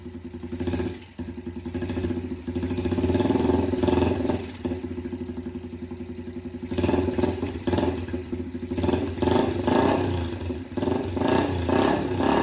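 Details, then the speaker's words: Yamaha TTR 90 after top-end rebuild, airbox off, choke tried on and off, idle raised: revs unevenly, stumbling in irregular bursts, won't settle to clean idle; runs better with air-fuel screw turned in for more fuel, smoking heavily, owner suspects burning oil. "Well, she's smoking, so That's not great out of the exhaust as you can see. So, it once I screwed the more I screwed the air fuel screw in, the more it liked it. So, it wanted more fuel. However, it's smoking a good amount out of the exhaust."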